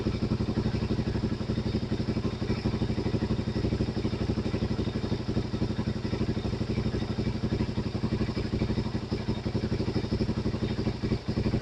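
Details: Suzuki DRZ400 with 40k miles, idling after the manual cam chain tensioner was adjusted a hair back from where chain noise began: even single-cylinder idle, steady thumps about four a second, no chain rattle or ticking; healthy.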